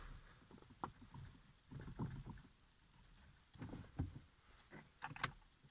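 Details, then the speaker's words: Mazda 6 (GG/GY) front-end knock: irregular dull, low hollow clunks in short bursts about every second from underneath; owner suspects the steering rack, cause not confirmed. "нет это не у меня в голове да чё то там внизу наверно же рулевая рейка кто знает как это исправить поджать но стук такой знатный"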